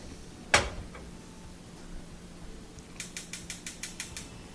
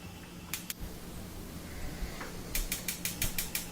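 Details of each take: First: Wolf gas range, after cleaning the corroded, dirty burner head: one knob click, then eight quick igniter snaps that stop as the burner lights with a good flame; constant clicking fixed. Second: Wolf gas range back burner: sharp rapid igniter clicking about five a second over a low hum, continuing after lighting.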